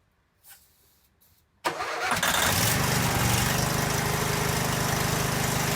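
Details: Cub Cadet 1190 garage-find lawn tractor after draining the tank and adding starting fluid: quiet until a sharp catch near 1.6 s, then the engine fires and settles into a steady, even run with no misses.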